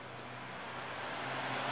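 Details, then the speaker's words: Isuzu Panther capsule with Denso AC compressor, engine running: harsh, rising rushing-grinding noise as compressor engages; still cools but very noisy, compressor oil black, failing compressor taken apart. "dinyalakan langsung sangat berisik sekali ya. Meskipun masih terasa dingin, tapi untuk dinyalakan ya agak risih sekali."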